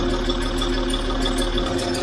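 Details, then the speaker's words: Land Rover Discovery 3 TDV6 diesel run on the wrong engine oil for years: quick, even light ticking over a steady idle, pacing engine speed; new noise, source unconfirmed, owners worried about low oil pressure. "car has, in my opinion, developed a new noise."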